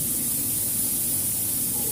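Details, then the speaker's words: Freezer box with newly replaced compressor, run without load before refrigerant charge: steady loud hiss of air jetting from the pipe over a faint low hum; compressor pumping normally. "saya coba hidupkan kembali mesin kompresornya saya berikan sumber ya mesin kompresor sudah aktif ya di sini ada semburan udara yang keluar"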